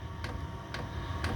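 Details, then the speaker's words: Chinese 5 kW diesel heater on kerosene via 240V-to-12V transformer, 2–3 minute startup ramp: soft pump ticks about twice a second over a steady fan hum building as pump and fan speed up; normal warm-up. "I don't know if you can hear that but the pump's getting quicker the Fan's getting uh quicker so it's it's pumping more air through"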